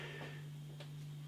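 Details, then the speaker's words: Fridge bought as a quiet AAA-rated model, now after a few months as loud as a washing machine: a loud steady low hum with a high-pitched buzz on top as the compressor kicks in. "blimey the fridge is kicked in and it's like a it's almost as loud as a washing machine it's one of those things you buy it and it says are really quiet aaa rated fridge"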